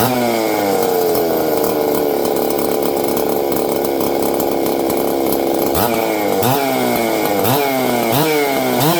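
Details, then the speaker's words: Ported saw with open muffler, high compression, not run in a while; loud, sharp, high-pitched two-stroke scream held steady, then revved up and down cleanly, healthy. "There we go. I haven't run this thing in a while. You guys can hear it. It's loud."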